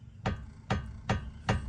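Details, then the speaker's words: 2005 Mercedes S500 4matic (W220), car jacked up, front suspension manipulated by hand on passenger side; clunks over bumps: four dull heavy clunks about every half second as the wheel is loaded; lower ball joint on lower control arm suspected worn. "Now, it appears to me that it's the lower ball joint on the lower control arm."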